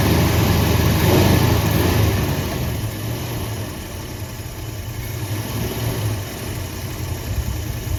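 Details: 1973 Ford F100, 302 Windsor V8, 3-speed column manual, restarted after 16 years parked, no coolant, fuel pump doubted: idle sags and rises without settling, revs wandering up then dropping away; unstable idle.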